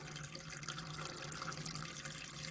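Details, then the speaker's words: Caravan water system after winter storage: cold tap running with pump on, smooth even water flow with no spitting or air bursts once last year's water and air are purged; normal steady tap flow. "once all the air has stopped burping we know we've pushed last year's water out there we go"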